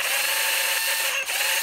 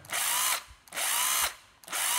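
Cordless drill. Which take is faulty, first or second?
first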